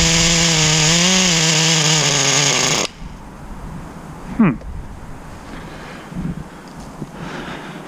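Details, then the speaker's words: 2006 Traxxas Nitro 4-Tec 3.3 (Model 4809), 17-year-old nitro RC car, on its first drive. A high, buzzing engine hunts in pitch for a few seconds, then cuts out and stalls. The owner suspects the carb and is leaning the low-speed needle. Rough running and stalling. "So she keeps dying, so let me try and lean the low speed a little bit more."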